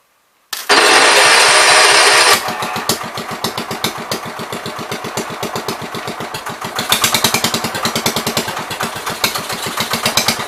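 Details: 1973 John Deere 110 small engine after carb cleaning: starts with a roar, then a fast, slightly uneven putter that swells and fades, running rich; owner suspects the carb needle.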